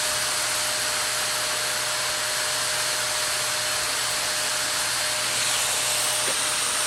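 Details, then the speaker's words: Everstar VC-9550 upright vacuum switched on: steady high airy roar with a thin whistle. The motor runs but airflow sounds choked by a clog. "let's turn it on oh yeah this thing's got a clog in it let's do this outside cheap junk"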